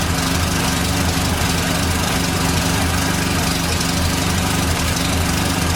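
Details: 1989 Dodge Daytona ES salvage-yard car, starting up: steady, even idle with a faint constant whine on top, noted as power steering whining.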